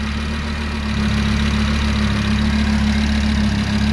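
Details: Audi RS3 DAZA engine after a rebuild with new hydraulic lifters, which were soft and noisy on first start and are now quiet: a steady even low hum with a smooth beat and no top-end ticking. Clean, normal idle.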